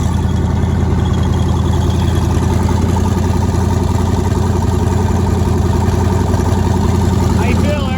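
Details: Nissan 240SX with twin-turbo LSX V8, first start after new turbo setup, out of gear, running on Holley Terminator X wizard base tune, fuel pressure not yet set: steady even idle with firm low rumble, no stumbles or skips; normal idle.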